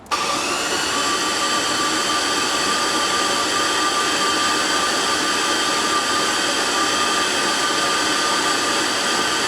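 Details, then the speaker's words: GMC Jimmy LS-swap drag build, cranking on the starter with spark plugs out and coils unplugged: fast, smooth, steady whirring spin with no compression thumps, high cranking rpm to build oil pressure quickly; injectors left plugged in, so fuel is flooding, healthy cranking. "you can hear how easy it's spinning over with the plugs out cranking RPM's high and it makes it oil pressure a lot faster that way"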